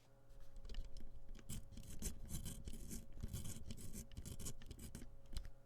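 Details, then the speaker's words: IBM 5153 CGA monitor after recap, microphone placed inside near the board potentiometers before cleaning with DeoxIT: dry, irregular scratching and crackling on every turn; very dirty, scratchy pots. "I am going to go ahead and deoxit all of these potentiometers on here because they're really, really bad. They're so dirty and scratchy."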